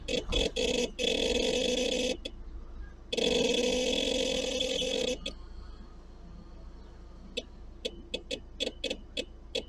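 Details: Seat Alhambra: a loud unidentified noise from the rear with the engine on, both moving and parked, heard as droning bursts of one to two seconds then sharp short chirps. After engine start the noise sometimes takes minutes to begin; the cause is unknown.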